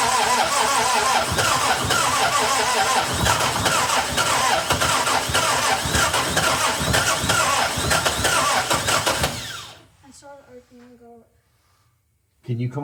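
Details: 1961 Triumph TR3A, barn find off the road since 1985, new high-torque starter, throttle pressed: steady rhythmic cranking about nine seconds with a few ragged catches, then silence; fires briefly but won't keep running; battery found low.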